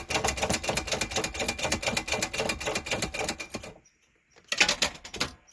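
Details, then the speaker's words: 1988 Winnebago Superchief RV engine, key turned to start: fast dry clicking about four times a second with no cranking; starter solenoid chattering on a dead battery, later jump-started. "oh boy oh dead as a doornail holy moly"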